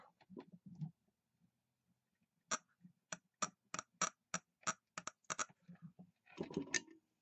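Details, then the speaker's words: Mercury inline-6 outboard switchbox bench test, powered with jumpers and grounded: about a dozen crisp, dry spark snaps with quiet gaps. The switchbox is good. "if you've seen a little blue spark but that's what that is that's telling us our switch boox is good"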